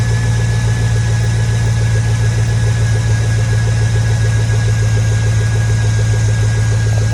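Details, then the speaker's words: 2002 Chevy Tahoe 5.3 V8 just after installing a cheap eBay cold air intake: deep steady idle with an even low rumble and faint intake hum, no misses or knocks; sounds much better with the intake. Normal idle. "you sound way better with the intake though you sound way better easy upgrade for the 5-3"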